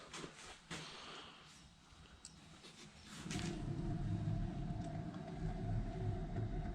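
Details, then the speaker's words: 2012 Jeep Patriot, passenger-side rear wheel spun by hand with the car raised: after handling knocks, a steady low rumble with a faint hum from a bad wheel bearing; loud humming when driving; the bearing/hub is being replaced. "I don't know if you can hear that it's got a bad wheel bearing uh it makes a pretty loud humming noise when you're driving it"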